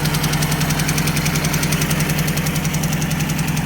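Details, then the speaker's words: Ford Escort Mk3 GLE idling: crisp, even ticking about three and a half per second over a steady idle; one cylinder suspected of a collapsed hydraulic lifter, valve cover not yet removed. "See which hydraulic lifter has collapsed. Hopefully, it's just a hydraulic lifter I collapsed. Easy fix."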